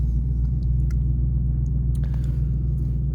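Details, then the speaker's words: 2000 Ford F-150 with check engine light, P0175/P0172 system too rich on both banks, idling while warming up: deep uneven loping rumble under two beats a second. Owner suspects the aftermarket high-flow air filter; cause unconfirmed. "system too rich okay it's idling pretty rough right here I don't know it's also warming up"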